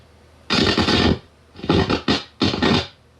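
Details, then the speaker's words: Kodak Pageant AV-126-TR 16mm sound projector amplifier: loud bursts of harsh crackling from the speaker, caused by a dirty control that needs cleaning. "oh yes i hear the speaker is crackling up yes i see the speaker is crackling"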